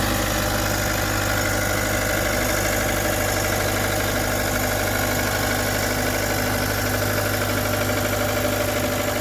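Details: 2013 Vermeer SC602 stump grinder, rebuilt Cat 2.2 L 3024C diesel with rebuilt injection pump, 1,040 hours on meter, under an hour since rebuild: steady, even idle with smooth low beat, no knocks or misses; healthy and settled.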